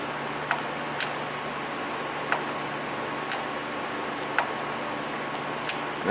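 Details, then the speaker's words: 2004 Chevrolet truck with P0446 EVAP vent performance code: crisp light clicks about every second over a quiet hum as the canister vent solenoid switches normally, confirming its circuit; faulty fuel tank pressure sensor suspected. "the old girl clickin so that's good it means there are circuitry is good up to it"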